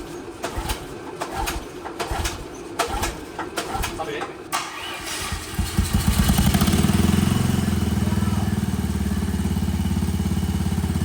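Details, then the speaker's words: Little Tikes Cozy Coupe go-kart with a small pull-start engine, CVT and custom exhaust, on its first start: catches and settles into a steady, even, fairly quiet buzz with no knocks or misses; normal running. "It sounds really good. The custom exhaust is nice. It's actually like very quiet."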